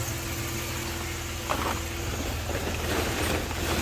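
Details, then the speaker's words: 1990 Dodge Grand Caravan LE being restored after sitting, no instrument cluster connected, idling in the garage: soft, low, even idle with some handling clatter over it, no misses or knocks. Normal idle. "just to purring away it wants to live"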